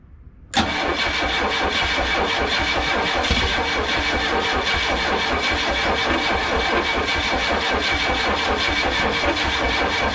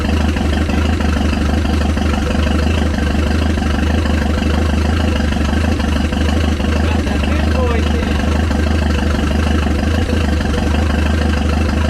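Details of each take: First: Chrysler LeBaron cranking on a new battery; fuel pump primes but distributor was installed 180 degrees out, rotor not at number one. Steady fast cranking that never catches; cranks but will not start. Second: Chrysler LeBaron in garage, warm, after correcting distributor installed 180 degrees off, bigger battery: starts better, loud lumpy deep idle at a steady beat with open exhaust roar and some smoke, no misses or knocks; normal idle.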